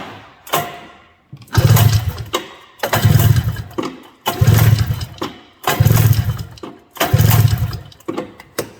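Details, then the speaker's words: 1982 John Deere Liquifire 440 liquid-cooled, barn-stored at least 20 years: five even pull-start cranks with a compression tester on the wet-plug cylinder, firm chuffing strokes reading a little over 120 psi; compression healthy. "There's 5 pulls. What do we got? A little over 120. Not too bad."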